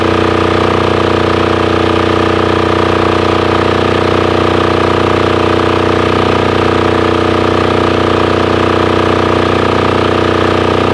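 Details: Abandoned, previously non-running Titan 7500 W diesel generator, started using the compression release. Now an even, steady diesel thrum at constant pitch with no misses or knocks. Normal idle.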